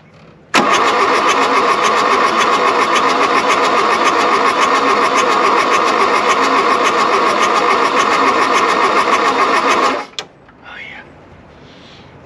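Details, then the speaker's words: Diesel VW Rabbit abandoned in the woods 30+ years, cold at about 40 °F after glow plugs were cycled, which may be burnt out: steady starter cranking nearly ten seconds at about four even pulses a second. A cylinder briefly kicks but it won't fire. Cranks, won't start. "that was a cylinder kicking off oh it's so close you got to remember too it's 40 degrees out here so that doesn't help"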